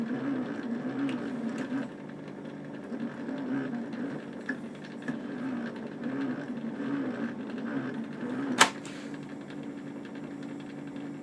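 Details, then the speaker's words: 1962 Argyll Minor reel-to-reel tape player, salvaged from a skip, at its first power-up with very dirty pots; the motors run continuously with a soft hum, a faint rub repeating about once a second and one sharp click, cause unknown. "There we go. I don't know what is making that noise. The motors continuously run on this, it seems."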